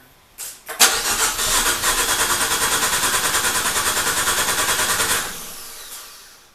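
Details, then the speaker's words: Dallara with swapped Fiat 500 Abarth engine, long-stored, fuel pressure on rail: starter spins engine evenly about four seconds without firing; code reader shows no power (DTC). "but anyways we have it cranking it sounds like an engine and I've got steel pressure on the rail I can see it got a gauge here"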